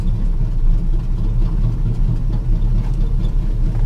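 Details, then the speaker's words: Classic Chevy C10 pickup that sat about five years and was parked over a knocking engine, first start after pouring a little liquid dynamite down the throat: loud, deep, uneven open-exhaust rumble with a lumpy, stumbling idle and some vibration; fan or belt possibly misaligned; rough idle. "okay there's a little vibration there and I'm wondering if the fuel pump picked up because it's still running okay I'm gonna try to let her idle it's idling rough"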